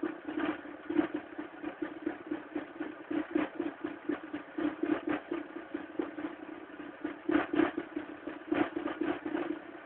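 Cold idle with an uneven clatter, roughly four ticks a second riding over the engine note; cause not pinned down yet. Cause suspected, not confirmed.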